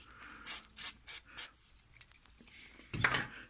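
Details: Short, dry rubbing creaks from the front suspension each time the steering wheel is turned. The cause is a dry ball joint, treated by injecting grease through its boot with a syringe.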